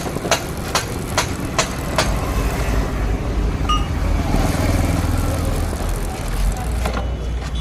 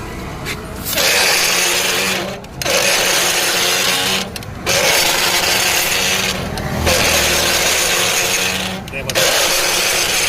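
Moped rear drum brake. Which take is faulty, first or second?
second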